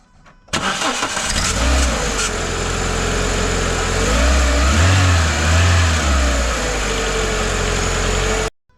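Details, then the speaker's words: Car with a start-up squeal, restarted and revved, AC toggled, a throttle body servo motor now suspected but unconfirmed: the engine catches and revs with a thin squeal rising and falling with the revs. "it might be a Servo motor in the throttle body yeah yeah I reckon you might be onto something there"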